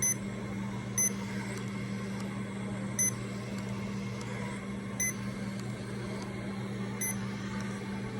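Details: Remodulin infusion pump self-tested, reserve volume 100, air detector off, priming its line: low steady motor hum with a short high beep every two seconds, even and unchanging, normal priming.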